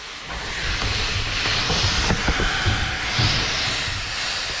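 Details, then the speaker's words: Buried sprinkler irrigation pipework under pressure test: steady loud hiss of escaping air with gurgling bursts from a fitting left untightened, air venting before water sprays out. "so dad had forgotten to tighten this one i could hear the air coming"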